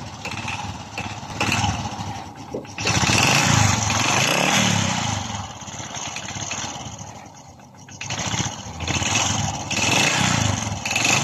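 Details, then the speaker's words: Honda RS 125 Fi single-cylinder motorcycle engine blipped repeatedly: harsh metallic clatter from low in the engine that grows louder with revs; owner reported knocking inside, diagnosed as piston slap before dismantling to inspect the piston. "so kapag nagin ang ating motor guys isulat siang Inay kapag nreb mo lumalakas ang kanyang kalansing sa kanyang makina So ibig sabihin ang problema meron ang kanyang makina guys ay piston slap"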